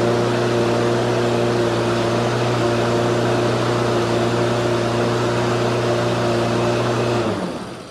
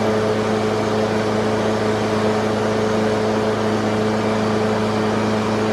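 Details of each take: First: Husqvarna HU 600L mower, Kohler XT149, old carburetor refitted with flattened flanges and new gasket: races at a high, steady speed with a fast even putt, then shuts down; running too fast, no longer dies instantly but still hard to start. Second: Husqvarna HU600L mower with a Kohler XT149 that started and died, after sanding a gasket surface flat and fitting a thicker gasket: a smooth, steady single-cylinder drone with no surging or dying; normal running.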